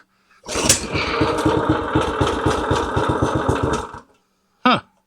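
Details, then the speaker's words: Old log splitter small single-cylinder engine, carb mixture screw set 1.5 turns out, choke about half; pops along with uneven firing a few seconds then dies, runs lean wanting more choke, cause unclear. "that's funny what you reckon going on here know why that thing had run lean"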